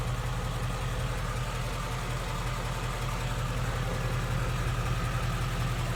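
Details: 2016 Ford Mustang GT 5.0 Coyote, about 10,000 miles, warm idle with AC off, heard at the fender: smooth and quiet with only a faint, even valve-train patter, no ticking; normal.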